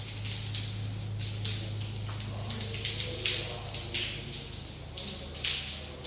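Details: Water coming through the ceiling from floor 17 at 5:07 am: irregular splashing drips and patter over a low steady hum. Owner suspects burst pipes in flat 175, blamed by a plumber for an earlier leak above the shower. Cause unconfirmed.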